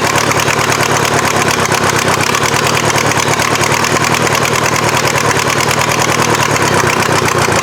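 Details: VW diesel in an offroad Mazda just after first start: steady fast diesel clatter at constant idle, hard-edged and uneven; injection pump still needs tweaking, owner suspects head gasket from smoke.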